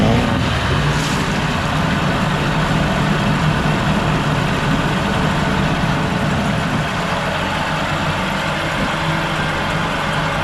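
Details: 1987 Mercury 8 hp outboard, newly purchased, before carb cleaning: steady even buzz, no misses or knocks, runs pretty good; hard to rev to full throttle due to combined throttle/shift mechanism; normal running.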